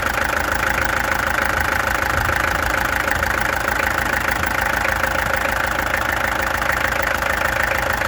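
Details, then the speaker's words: Peugeot XD2 diesel at idle, before the injectors were removed, tested and adjusted: steady clatter, roughly 200 knocks a minute, with a slightly uneven beat. Owner suspects a misfire; cause not confirmed. "Now what's going on here? Kom eens kijken, wat gaat hier aan? This thing has a misfire, I think."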